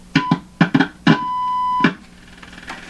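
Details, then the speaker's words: Hallicrafters SX-122 receiver signal tracing: between probe clicks a clean steady tone near 1 kHz, strong on both sides of the antenna coil primary, so signal reaches the coil. "getting a strong tone off both sides of the primary side of the antenna CL so what's the other side doing"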